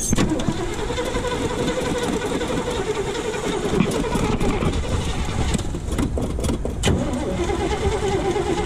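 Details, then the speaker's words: 1979 Chevy C10 factory 454 big-block V8, first start after sitting five years, fed from an auxiliary tank: lumpy, uneven idle with wandering beat; rough idle, oil pressure good, cause not found. "she's idling she's not idling very good but she's idling"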